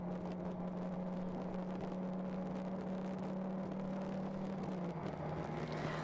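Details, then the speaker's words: Endurance race car on track at speed, onboard: steady low harmonic drone holding pitch under engine and road noise; wheel bearing suspected, possibly driveline, not confirmed. "it can be an issue with the wheel bearing so if you hear that it's something to be conscious of a bearing issue yeah kind of a droning noise you can hear it right there"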